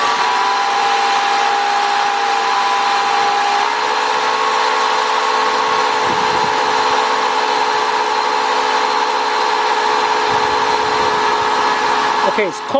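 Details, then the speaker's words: 2000 Nissan Maxima 3.0, code P0505, stalls after start unless throttle held: cold engine idles a little high, slowly settling; idle air control problem, throttle body carbon buildup suspected, cleaning planned. "so it is going to idle a little high right now let's see if this idle goes down by itself"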